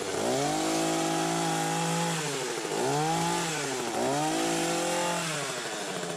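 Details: Hedge trimmer after its nearly empty gearbox was repacked with grease, following a metal-on-metal grinding noise. A smooth, even motor note revs up and drops back three times, with no grinding or scraping; runs normally.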